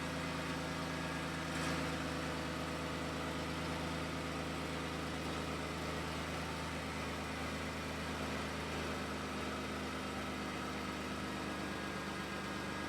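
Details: 2013 Dodge Grand Caravan after exhaust flex pipe and centre silencer replacement: smooth, even idle with steady low hum, no puffing or ticking from the pipes; no exhaust leak, sounds healthy.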